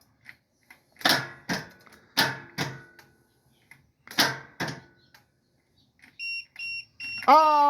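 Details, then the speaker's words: Cub Cadet 3204 Yanmar diesel mower, sat for three to four months, being jump-started after the fuel pump primed: a few dull knocks, then the jump pack gives three short high beeps and a rising warning tone, cause unclear. "oh it's not happy I hate this thing this is the worst I would not recommend buying this for jumping anything"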